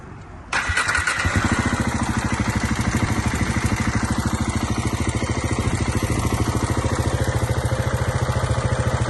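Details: 2009 KTM 690 Enduro R single-cylinder at idle: steady light tick about three per second from left side of engine; rocker rollers fine, valve clearance in spec, manual cam chain tensioner fitted with no change.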